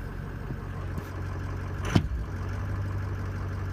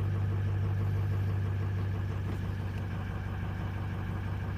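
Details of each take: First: Greg's diesel truck with an EGR cooler, cold start with most sensors unplugged except cam, crank, VGT and IPR: steady low rumble, no rpm hunting, one brief clunk. It jumped only at first fire-up; normal idle. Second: Diesel on a cold start with the ICP sensor and almost everything unplugged and no accelerator pedal: low idle with a steady drone that slowly sags and surges, roughly three pulses a second; unstable hunting idle, cause not yet found.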